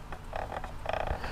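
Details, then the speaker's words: RC rock crawler radio transmitter throttle trigger: short squeaky chirps in two bursts as it is pulled, rough rather than smooth; the trigger is worn and sticks (stiction) through its range. "that is the trigger not being smooth so it's it's kind of like jiggling through its range when I pull it"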